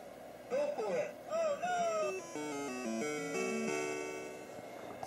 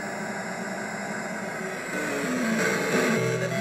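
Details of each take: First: Taito Crazy Climber arcade sound board after reinserting the pin at 5P (earlier no voice, no climbing sound): clean rising and falling tones, climbing noise and voices play clearly without dropouts or distortion; sound board working. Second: Taito Crazy Climber arcade board set in cabinet after coin-up and start: steady static hiss over the game music, growing louder midway, absent initially and appearing once first sounds enabled; sound mostly from the AY-3-8910, cause not yet traced.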